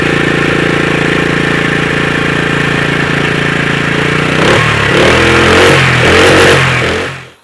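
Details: Honda GX120 4 hp single-cylinder engine after swapping in a new cheap replacement carburetor for an old one that ran slightly rich: it starts, settles to a steady even idle, revs cleanly without stumbling, then shuts off. It sounds healthy.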